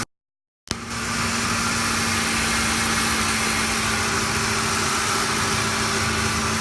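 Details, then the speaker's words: 2007 Ford F-150 5.4L V8 just after a Spectre cold air intake install with the airflow sensor correctly oriented; the engine starts and settles into a steady, even, smooth idle with a faint hum and no knocks or misses: normal idle. "Now there you go, success. Idle's nice and smooth. Sounds good."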